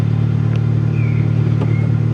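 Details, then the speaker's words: Seat Leon Cupra with 129,000 miles, bought blind from a salvage auction, just after its first start: a deep, steady exhaust rumble with light revs and no knocking or tapping. The petrol engine sounds good. "Sounds alright. A few little revs."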